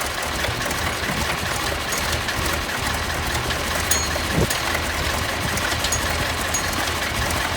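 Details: Junkyard Massey Ferguson 1155 diesel tractor, parked many years with a hydraulic issue, started after fuel was drawn up to the filters through the electric fuel pump: a steady idle clatter with an even, unbroken beat and no stumbles, running fine.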